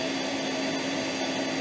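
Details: Metabo AS 36-18 L 20 PC cordless wet and dry vacuum on boost setting, sucking up water: steady high, even whoosh with a constant motor tone and no surging or stutter; running strongly and healthy.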